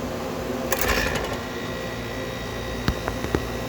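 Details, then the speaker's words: Homemade air conditioner, about 75% complete, first start-up: brief surge then steady even compressor motor hum with a few handling clicks; compressor running normally and cool. "you go compressor runs nice and cool"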